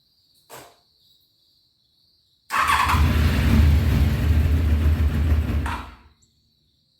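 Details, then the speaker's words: 1993 Honda VFR750F sat over a year, before carb cleaning, cool day, full choke then a little throttle: about three seconds of cranking, a brief stumble, then dies; hard starting, previously ran only on choke, clogged carburettors. "she tried that's full choke tried a little throttle didn't like that huh"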